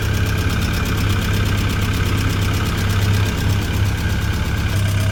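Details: Tennant M20 sweeper with Vortec 1600 engine, first start after head gasket and timing belt work: steady, even low idle rumble with no knocks or misses, oil pressure gauge fluctuating.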